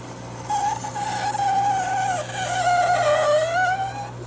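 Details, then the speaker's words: GE Profile ice machine making ice: wavering high-pitched squeal over a steady low hum as the ice struggles to come out; very solid ice backing up, later traced to a clogged water hose starving the evaporator. "It's like the ice is struggling to come up out of there, making some type of god-awful squealing sound."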